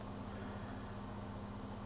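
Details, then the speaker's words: Thrift-store HP Vectra 166 PC running with floppy drive unplugged: faint steady low hum, no whine or rattle, much quieter than before. "Ooh, that is so much quieter."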